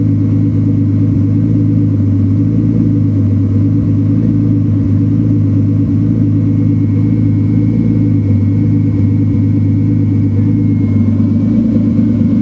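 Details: Turbo BMW 328 at idle: deep, droning idle with a faint, irregular tick and a stumble that breaks the rhythm every so often. Misfire at idle, cause unknown.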